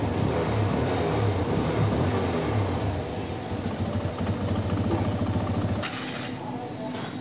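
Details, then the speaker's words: TVS Apache RTR 160 BS6 at idle, stalling when throttle is released and with clutch pulled: uneven idle that won't hold rpm, sagging with skipped firing pulses and jerks; mechanic suspects dirty throttle body. "जो RPA मैं एक दर पे रुक ही नहीं रहा मतलब बहुत ज्यादा मिसिंग कर रही बाइक झटके ले रही है"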